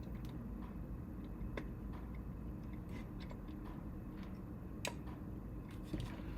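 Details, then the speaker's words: Arctos open-source robot arm with closed-loop stepper joints during assembly, joint turned slowly: quiet irregular ticks and sharp clicks, felt as well as heard; builder suspects loose nuts, cause unconfirmed. "not sure if you can hear h can you hear that weird clicking I think it's a um wonder if I got all the nuts tightened"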